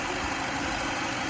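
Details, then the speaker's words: Mercedes-Benz W212 M271 at idle, after StopTech coolant stop-leak and an oil change: smooth, even idle hum with no top-end ticking; the knocking stopped and coolant loss ended. "Я поменял масло, и стук прекратился. Сейчас всё работает без сбоев."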